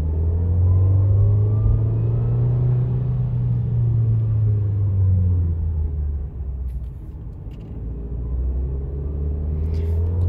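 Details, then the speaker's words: 2020 Nissan Versa S manual pulling away in first gear: a low drone with a faint whine rising with road speed and fading on the shift, also slight in other gears; normal for this transmission's design. "that's perfectly normal. That's actually just the way that the transmission is designed."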